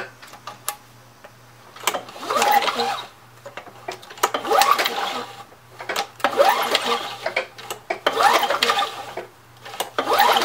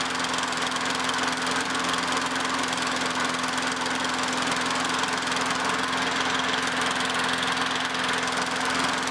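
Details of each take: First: Curb-found Craftsman 917.377300 mower, Tecumseh Eager 1 6.6 hp, Vector carb: slow uneven pull-over bursts about every two seconds with no firing; cranks but no spark seen at the plug. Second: Craftsman 917.377300 mower with Tecumseh Eager 1 6.6HP engine, after carb cleaning and cleaning the coil and flywheel, checking a breather leak: steady, even single-cylinder drone at constant speed with no misses or surging; running normally.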